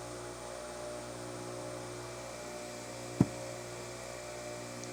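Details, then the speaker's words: Bench grinder after four-run balance correction, 2.3 g at 0 degrees, measured with accelerometer and Falcon data collector: steady even hum without throb, two brief clicks; vibration down from .80 to .122 in/sec, running balanced. "I'll take it. That's how you do the four-run balance."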